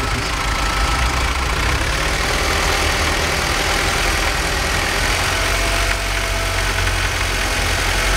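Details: BMW 318i petrol engine idling rough, with a slightly uneven, wavering beat rather than a smooth hum.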